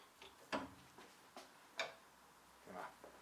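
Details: Honda Civic FN2 Type R clutch pedal hinge pivot, worked with the pedal out of the car (master cylinder removed): short, sharp metallic squeaks at uneven intervals from a dry pivot missing its nylon/PTFE bushing; spray grease fixed it only two weeks.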